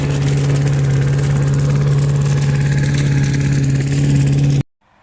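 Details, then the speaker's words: Junk lawn mower with Briggs & Stratton 5 HP single-cylinder engine collecting leaves: steady even drone at constant speed with firm low hum, then clean shutoff; normal running. "It's running fine. It's got most of the leaves collected, and it's up to here or something."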